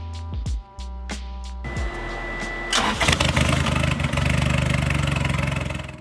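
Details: Rebuilt abandoned turbo Honda Civic after new battery, tie-down and terminals: short bursts of starter cranking, then the engine catches quickly and revs to an even run; starts cleanly.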